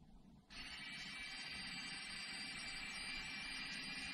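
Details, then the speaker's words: Electric parking brake commanded to release by an Xtool D5S scan tool, ignition on: steady high electric motor whine starting abruptly and running evenly as the rear caliper motors retract for pad replacement; normal retraction. "hopefully you're hearing that and there they are they're retracted and just to make sure that you can hear them go back the other way so right now they're retracted to where you could put breake pads on your vehicle"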